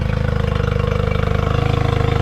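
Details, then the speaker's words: 2005 Honda 20 hp long-shaft outboard after carb cleaned of debris, panel left off to check water pumping; pumping water and idling a lot better. Smooth, quick, even idle pulse, no stumbling or surging. Owner still suspects an overheating issue triggering shutoff; normal idle. "puming a lot better water iding a lot better"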